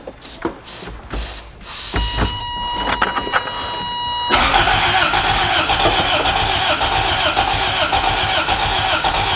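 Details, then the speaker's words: Long-abandoned Toyota MR2 in neutral with fresh fuel and a new battery: rapid starter cranking with a brief ragged catch on starting fluid that never settles into running. The fuel pump is heard priming; fuel delivery is suspect. Cranks but will not start. "oh-ho-ho it's trying oh it's close all right let it cool down for a little bit i hear fuel pump go for it it actually tried that time"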